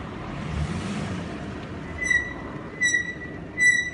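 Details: Mercedes with new TrACtec front pads and discs, TrACtec rear pads and Textar rear discs: three sharp high-pitched squeals in short bursts as the car rolls and brakes, worsening over time. Brake squeal; pads to be replaced with originals.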